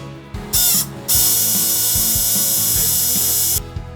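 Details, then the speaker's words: Canon 6D Mark II that hums when switched on, shutter drive powered directly on the bench: harsh raspy buzzing in short bursts, caused by worn shutter-drive gears, apparently from heavy load; gears to be replaced. "Разбираем привод причина заключается в износе шестерёнок По всей видимости из-за сильной нагрузки поэтому заменим их"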